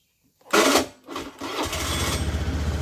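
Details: Honda Beat FI scooter that wouldn't crank, after battery reconnected with terminals tightened and fuel pump humming: short crank catches at once, settles into quick even putter at steady idle. Normal start and idle.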